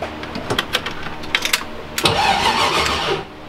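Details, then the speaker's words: BMW V8 drift build, reassembled with intake back on, fuel issue still unsolved: starter engages cleanly and turns the engine over with an even chugging rhythm but it does not fire; motor cranks fine. "That was a crank over. That turned the engine over right there. Woo! She's actually cranking."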